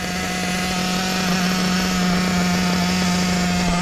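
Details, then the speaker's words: Hobao VS2 nitro buggy at about 42°F, low-end needle set too fat before leaning: steady rough, burbly drone at one speed with fuel spitting out. Rich fuel mixture. "it's fighting it fellas it's fighting it look at the fuel coming out of it where it's so"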